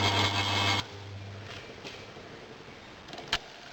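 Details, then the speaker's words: Two-speed single-phase motor, start windings paralleled with the slow-speed windings, first test run turning anticlockwise: a steady low electrical hum for under a second, then it cuts and fades, running smoothly at low speed. "and we'll give it a test run and see what happens oh look at that now it's running"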